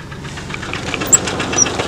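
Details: Red truck idling in neutral (won't go into park); rapid, regular metallic knock over the idle — internal engine knock, cause unknown; owner thinks the engine needs replacing.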